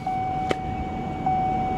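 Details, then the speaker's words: 2005 GMC Savana G1500 Regency conversion van, sold as a non-runner, started after installing a new battery, out of gas: steady, even idle with no misses, knocks or rattles; runs perfectly. "it actually runs perfect it runs perfect I'm I'm not this is listed as a non-runner guys this is not supposed to run at all it's supposed to be dead"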